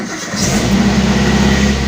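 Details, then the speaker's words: Car engine started with AC, audio and all electrics off to spare the battery, which is over a year old; short crank, catches straight away and settles into a steady, even idle: normal start and idle. "Oke teman-teman, mobil sudah menyala ya."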